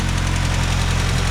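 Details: 1987 VW MK2 Jetta just swapped from 3-speed automatic to 5-speed manual, after first start: steady low rumble with quick even pulse, no knocks or misses; smooth healthy idle.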